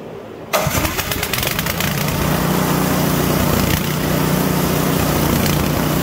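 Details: PowerSmart DB7651-24 snowblower that wouldn't start after sitting with fuel in it, after ultrasonic carburetor cleaning/rebuild and fresh gas: catches after brief crank, settles into steady, even putter with no misses or surging; runs properly.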